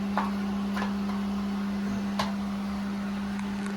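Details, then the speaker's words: Water well pump after replacing a 40/60 psi pressure switch, building pressure to about 40 psi toward 60 cut-off while filling the tank: steady low hum with faint clicks; normal operation. "okay we're at 40 she coming up quick now these should open up might even see a little spark that'd be fun"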